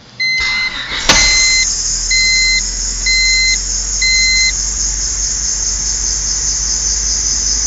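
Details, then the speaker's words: 1998 Honda Civic 1.6L after timing belt replacement: thin, steady high-pitched squeal under the idle behind warning chimes; failed idler pulley bearing, which got very hot within seconds. "I narrowed down what that squeaking was. It was actually this bearing in one of the idler pulleys. This one shot and it got wicked hot as I was running it just for like the couple seconds that you saw me run it."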